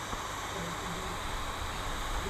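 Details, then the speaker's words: MacBook Air 2019 A1932, stuck at the Apple logo and shutting off when the charger is unplugged: fan roars constantly at full speed while the machine stays cool. "Dia seperti kencang mutar kipasnya itu, kayak panas berlebih, sedangkan dari MacBook kan dia nggak panas ya. Ya ini lumayan keras bunyinya."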